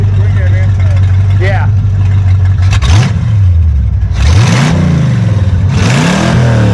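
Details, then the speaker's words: 1959 Ford Fairlane demolition derby car with a fuel-injected 5.0 302 V8 from a 1987 Lincoln Town Car, sitting for months, started after only a battery fix: fires straight up into deep even idle, clean smooth throttle blips; normal running. "nothing quite like a 302 baby dude"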